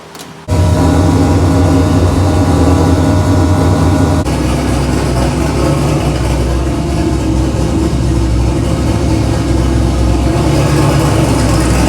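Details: Engine after a full bearing replacement, pan refilled with oil, first start late at night to check oil pressure: catches after a short crank and settles into a steady, even idle with a low rumble and no obvious knocking.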